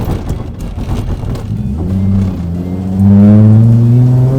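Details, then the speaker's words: Datsun 280Z race car on the road, coolant about 165, idle around 900 rpm: engine note climbs smoothly and strongly under load with no misses or knocks; pulling strongly under acceleration, though owner says not perfect. "sounded pretty good. She's running strong. Would I say it's perfect? Nowhere near."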